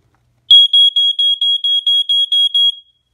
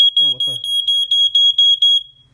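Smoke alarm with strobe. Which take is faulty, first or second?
second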